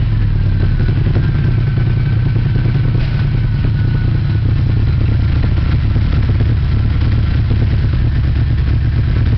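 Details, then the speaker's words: 1987 car started briefly at the shop after battery tending; deep loud rough rumble with uneven beat at idle, exhaust fumes bad and car very loud. "i know that was crappy sound and this car is real loud"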